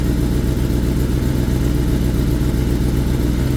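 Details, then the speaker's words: 2021 Kawasaki ZX10R (Gen 6) just after oil change, heard at the exhaust pipe: low uneven drone with lumpy idle pulse; oil not reaching engine, oil line not moving, oil pressure warning on dash, filter and pump not working together; shut off quickly. "it's rough bikes are not getting oil we cut that bad boy off"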